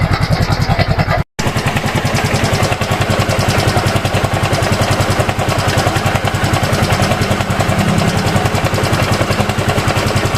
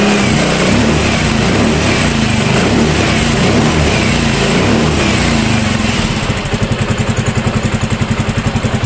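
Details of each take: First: Yamaha Mio M3 scooter engine idling with a coarse, uneven mechanical rattle from a worn camshaft bearing. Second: Yamaha Mio M3 scooter, brought in for a rough engine noise, started after checking top dead centre and valve clearance: runs busy at first, then settles into an even, steady idle with no knocking; normal idle.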